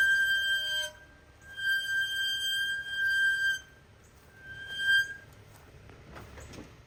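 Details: 2024 Toyota Tundra brake squealing issue, TSB T-SB-0043-24, repair requested September 2024 with parts still delayed: high, piercing squeal in roughly one-second bursts, then fading; brake squeal.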